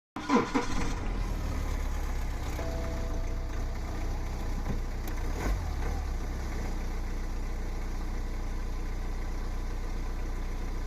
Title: Timing chain rattle BMW e90 318d N47 engine, failed timing chain tensioner.